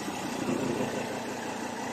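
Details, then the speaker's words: Ford Ranger 3.2 diesel pickup idling smoothly with an even hum and no knocks or rattles, after the odd noise was cured by tightening a nut on top. "Nawala na yung tunog niya. Sige ugayin mo nga. Wala na. Mukha lang basic pero nakakanin. So okay na."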